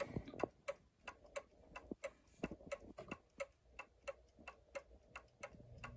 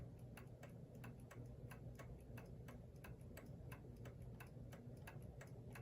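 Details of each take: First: New Haven Clock Company Horace model clock, movement about 42 years since last oiling, running with one side lifted: ticks come in lopsided uneven pairs instead of even tick-tock, out of beat; fix is bending the pendulum hanger toward the lifted side. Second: New Haven Clock Company Horace model pendulum clock, movement about 42 years since last oiling, pallet clean: soft ticks evenly spaced, roughly four to five a second, no limp in rhythm; clock in beat.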